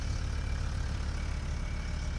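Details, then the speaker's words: Land Rover Defender TD5 diesel idling after a new starter motor fixed no-start issues (crank sensor, wiring overlay and ECU already done): deep, steady, even rumble with the TD5 whistle, no misses or knocks, healthy. "how I've missed the TD5 whistle get to enjoy the uh joys of popcorn again now nice that's been a while"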